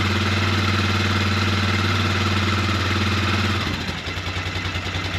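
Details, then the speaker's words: 2003 Polaris Sportsman 400 after valve adjustment and reassembly, choke off: steady even single-cylinder thumping near four beats a second, settling lower; normal idle. "That's a choke off, that's idle. It is really running nice."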